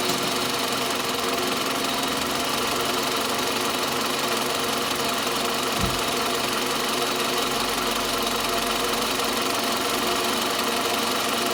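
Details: Toyota Camry 40 with 2.4 engine humming steadily: a constant ringing knock at roughly three a second near the front by the alternator; engine knock present, source not yet pinned down.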